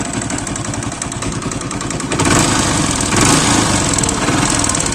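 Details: Deluxe motorcycle single-cylinder engine idling with a loose, rapid knocking clatter riding on its beat, traced to piston slap; the rest of the engine is otherwise quiet.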